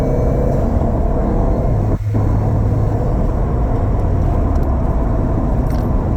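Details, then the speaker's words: 2007 Subaru STI driving after fixing a Cobb short shifter that rattled at higher RPM: smooth low road-and-engine rumble with no buzzing or rattling from the shifter; quiet and normal. "we're gonna do a quick test drive so you guys can hear that you don't you don't hear that noise no more"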